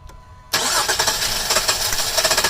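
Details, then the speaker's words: Daughter's Jeep Liberty engine: starter spins it in an even, rapid churn that never catches or fires; cranks but won't start, coils and spark plugs test good, owner first suspects fuel pump or fuel filter. "And you can see it's cranking but not starting."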